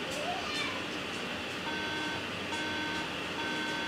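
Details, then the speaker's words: MacBook that shut down after a screen glitch on low battery now beeps three times repeatedly at power-on and won't turn on: three even half-second beeps, memory warning; fixed by reseating the RAM. "and then sudden it started beeping three times like this I'm not sure if you guys can hear it but hold"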